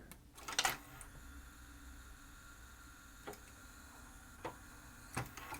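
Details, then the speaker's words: Sony CDP-333ESD CD player after servicing its front-panel buttons, eject pressed: quiet whirr broken by uneven sharp clicks as the tray, moved by a belt and looped steel wire, fails to open and close properly. "Well, that's just highlighting the tray issues."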